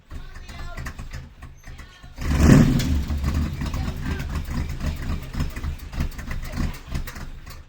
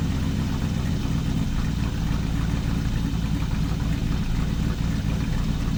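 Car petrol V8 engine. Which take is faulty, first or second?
first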